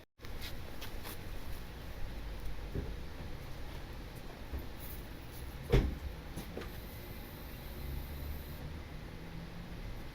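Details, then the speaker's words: Honda Civic R18 with eBay turbo kit, base tune on Hondata FlashPro, cold start heard from the rear exhaust: steady even idle, breathier deeper note with more airflow, no knocks or misses; ECU adding 2% fuel before warm-up. "back i definitely hear more airflow coming out from that exhaust even that idle"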